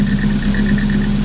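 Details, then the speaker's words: Nissan 240SX warming up on a chilly day, with a slight occasional misfire: steady idle with a light fast rhythmic rasp from the upper chain guide on top of the timing chain rubbing the chain; owner plans to remove it. "it's actually just a guide that's on top of the valve cover on top of the chain that's rubbing against the chain a lot of people remove that"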